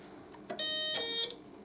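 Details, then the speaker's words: Kit-built 555-timer doorbell powered at 12 V: an electronic ding-dong lasting barely half a second that stops abruptly and is not very loud. The discharge time set by the potentiometer is too short. "Very quick. Let's adjust this potentiometer. It's not very long on the discharge. It's also not very loud."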